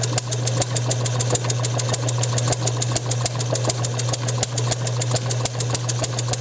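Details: Bessemer model engine on test bench, motor-driven, timing just before TDC: fairly even pops about three a second, fires nearly every stroke but never runs alone; owner suspects insufficient fuel/air through 5/32-inch intake pipe or compression leakage; fires but will not self-run.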